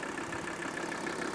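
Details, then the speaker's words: Old Mercedes 300D diesel idling after new engine and air filter housing mounts: steady even clatter about seven light ticks per second, rattle and cabin vibration gone; slight remaining rock possibly from unbalanced injectors, suspected. "now it's time to give it the big test oh no more rattle no more vibration in the cockpits"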